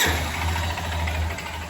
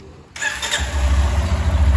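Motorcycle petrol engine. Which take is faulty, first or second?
first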